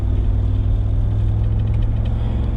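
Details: 1999 Chevrolet Tahoe under load: deep engine drone with an uneven, lumpy pulse over road rumble; one cylinder not firing, owner suspects ignition (rotor, distributor cap or plug wires), to be replaced; cause not confirmed.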